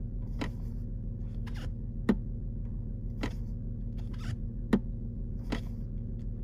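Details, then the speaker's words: Volkswagen Touareg stuck in Park, engine idling: crisp single clicks as the brake is pressed show the shift lock solenoid releasing properly; the solenoid is good and the fault lies in the other lock mechanism. "so that's that's the mechanism actually releasing it so that's the first mechanism that has to get released which is linked with the solenoid so if you're hearing that noise your pro your solenoid is good"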